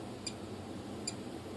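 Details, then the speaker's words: F-22 profile RC plane with throttle cut off: two faint, sharp ESC chirps about 0.8 s apart while the motor does not start, possibly because it isn't armed. The ESC or the motor is suspected bad; the owner thinks the motor is not completely bad. "So there's no activity. So that means somewhere on this ESC, the ESC part is bad, or this motor is bad."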